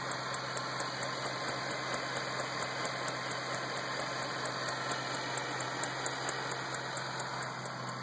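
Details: 2008 Ford Shelby GT500 engine at idle: sharp light ticks about twice a second, evenly spaced over a quiet steady idle; top-end ticking, cause not yet found.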